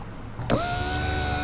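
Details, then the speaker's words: Toyota Land Cruiser 80 Series left rear electric window regulator motor, bench-tested straight off a battery after repair: a steady, smooth whir in both directions with no grinding or binding. The motor is healthy. "Look at that. And turn it around. Goes the other way. Oh, you beauty."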